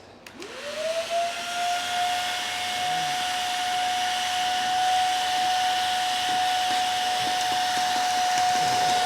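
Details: Vacuum on its fifth cup of baking soda: high steady whine with no airflow rush; all filters failed after about the third cup, so it no longer picks up properly despite bin below the full line.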